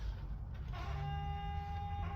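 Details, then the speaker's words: 1968 Pontiac Firebird 400 sitting untouched since 1986, 12 V at the coil but no spark, points about to be cleaned: steady mid-pitched buzz over a quiet background; the key warning buzzer works normally. "I don't know if you hear that, but the key buzzer still works too. It's pretty cool."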